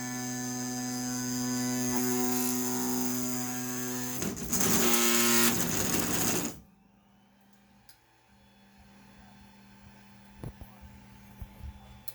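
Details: Brand-new Ender 5 Plus 3D printer with loud X and Y axis noise, traced with support for two weeks; the wheels have been loosened. A harsh buzzing rattle over a steady motor whine while the head moves, then it stops dead; cause unclear.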